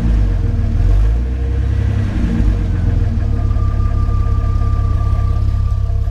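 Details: 2000 Jeep Cherokee XJ Classic: engine catches and settles into a steady, even low rumble with smooth revs and no knocks or misses; healthy six running well.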